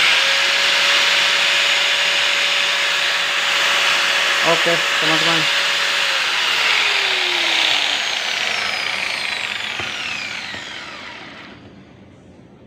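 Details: Makita 9553B angle grinder test run after replacing worn carbon brushes that had left it completely dead: steady high motor whine, smooth even brush noise, no rattle, then a clean wind-down after switch-off; the grinder now runs normally.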